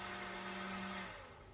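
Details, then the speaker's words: Small fan motor switched by an Elegoo Arduino kit relay after the fan was lifted off the desk, where friction had stopped it: even low hum with a relay click, then wind-down; fully working, strong breeze. "this mode is actually powerful man it's putting a nice breeze backwards okay so here they go so that that's it fully working"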